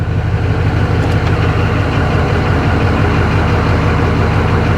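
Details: 2004 GMC 3500 Duramax diesel just after a transmission fluid change with deep pan (about 3 gallons): steady, even idle with a deep low rumble and good oil pressure; no knocks or slipping while the transmission is shifted through its gears.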